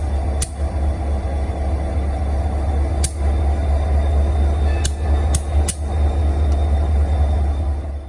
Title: Union Pacific SD40-2C Locomotive Idling (interesting popping sounds)